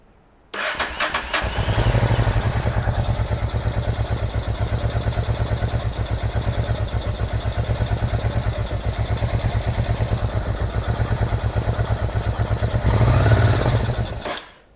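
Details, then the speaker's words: Honda NTV650 motorcycle left unused for 15 years, first start; ragged uneven beat around three pulses a second with slight surging, rough running owner blames mainly on the carburetor, fuel pump possibly also suspect. "I mean, I knew the carburetor was going to be a bag of cats, and I think that that's where the majority of the running issues do actually"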